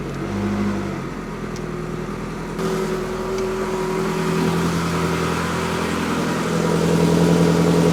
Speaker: That's better. Much better. The exhaust sounds even now. That is what it's supposed to do.